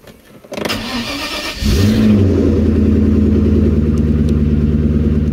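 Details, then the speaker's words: Maserati 3200 GT twin-turbo V8, doubtful mechanical state, cranks, catches and settles into fast idle with a light steady clicking, owner unsure what it means; ticking noise at engine start. "nghe thấy tất cả những tiếng click quyến rũ đó? Tôi đang cố gắng phớt lờ và quên nó đi vào lúc này để không bực mình khi nghĩ đến điều này có thể ám chỉ điều gì,"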